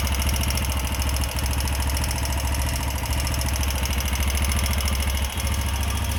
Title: TVS Apache 160 4v new edition engine sound problem 😰😰😰